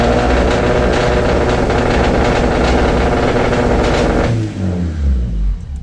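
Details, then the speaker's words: Big-turbo Audi A4 B7 after drive-by-wire install, no vacuum leaks found: engine holds a high steady buzz instead of settling, then shut off; throttle body suspected open too far, injectors also suspected but considered unlikely. "it's open too much, and I believe that's why it sounds like it wants to run away."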